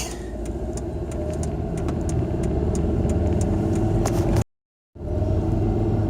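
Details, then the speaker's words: Volvo V50 on a test drive after rear hub bearing replacement: much quieter, only even tire roar from snow tires and slight brake noise from brakes still setting in; normal road noise. "Noise we hear now is pretty much just tire noise from the snow tires. That's good."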